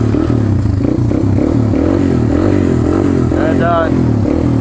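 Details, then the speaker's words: 1995 Honda XR200R cold start on choke, carb fuel possibly stale: small single thumping steadily with a couple of quick throttle blips, running clean with no misses; normal cold start idle. "if you wants to run Old Faithful Honda there she goes Wow I went a lot better than I expected"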